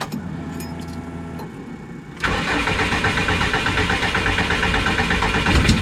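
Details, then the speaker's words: Subaru engine cranking with starter boosted by a 100 amp charger: steady rhythmic churn, about three pulses a second, never catches; it backfired, and the owner suspects timing; crank, no start. "So, it just backfired out of my thing. So, it might be something to do with timing."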